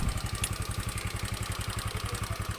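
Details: Honda Beat FI single-cylinder scooter idling with fuel pump bypassed, fuel from hand-pump-pressurized infusion bottle, testing suspected weak fuel pump; even steady thumping about ten beats a second, no stumbles, smooth normal idle.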